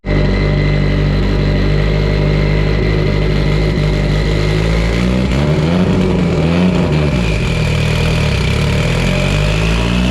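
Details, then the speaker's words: Evo 8 on dyno, built 2.0, GTX3584RS turbo, Haltech Elite 2500, flex fuel, sequential dog box: loud high-rpm pull under load with ragged stumbling midway; severe ignition breakup despite GTR coils at spec dwell; coils suspected. "And I'm getting severe breakup. These do have the GTR coils, and the dwell time has been set correctly according to the specs that came with the coils. But we're still getting breakup."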